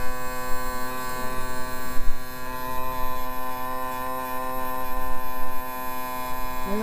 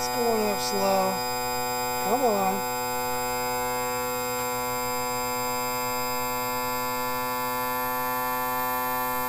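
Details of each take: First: 2000 Yamaha 60hp outboard tilt/trim after topping up with ATF+4; steady smooth unbroken electric motor hum at constant pitch, not leaking; trim pump running normally. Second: 2000 Yamaha 60hp outboard tilt/trim on homemade switch with poor battery cable, before ATF+4 added; steady unchanging motor drone with low hum, pump running continuously, seemingly struggling to lift; trim raising slowly, later working after fluid added.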